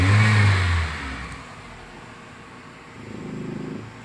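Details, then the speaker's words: 2003 Toyota Vios revved after a Blackcore carbon-cleaning engine treatment. Before, it had heavy, hesitant throttle, pinging and RPM drop with the AC on. A quick rev climbs sharply and returns to a calm idle; throttle response is now immediate. "Oh, jadi nggak nunggu lagi, nggak ngeden lagi gasnya, udah respon langsung. Oh, lebih cepat gasnya sekarang. Oh, lebih enak."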